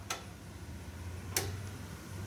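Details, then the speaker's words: Ford F150 won't crank, testing the fender-mounted starter solenoid with a test light in the connector; two crisp single clicks about 1.2 seconds apart over faint hum as the relay pulls in each time the key turns to start. "So, every time he clicks start, we should hear I don't know if you'll hear it, but you should hear on your vehicle the relay clicking and you should see this light glowing."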